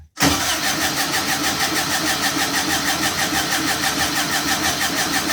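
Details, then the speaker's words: Air-cooled turbo VW engine on a dyno with a program for its cam, first start; after a brief crank it fires and runs rough and uneven, about two pulses a second; the prime fuel is far too low: hard cold start. "Okay, so obviously it needs more primary fuel, meaning when I first turn the power on and it primes up the system, it then shoots fuel in so that when you go to crank it, it'll fire right up easy. It sounds like the primary fuel is way low."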